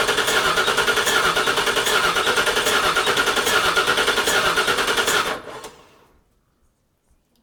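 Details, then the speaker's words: Cranking with no start on a 5.4L V8 in a 1979 Toyota Cressida: fast, even starter churning for about five seconds with no firing. Spark and coils are good and it runs on starter fluid, but not enough fuel reaches the rails. "as you saw we have good spark we have good coils the engine wants to run on starter fluid we just can't get enough fuel through the rails to actually make it run by itself"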